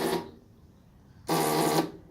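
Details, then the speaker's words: 2004 Hyosung GT250 Comet with roughly 12-year-old battery, before jump pack attached: two short starter chatters, just clicking with no cranking; battery holds some charge but too weak to turn engine. "I mean the battery holds a bit of a charge but it's not enough let me see let me see if you everything's attached let's just listen it's not gonna fire it's just gonna click"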